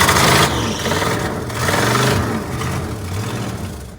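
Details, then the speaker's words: 1986 Ford F150 started cold at 32°F after sitting, pedal pumped: the V8 stumbles and surges as the throttle is blipped, never settling into a steady idle. Runs rough, cause not pinned down. "throttle it might idle sometimes doesn't idle but it might see it runs like crap sounds like crap amazing this thing runs but for some reason it does"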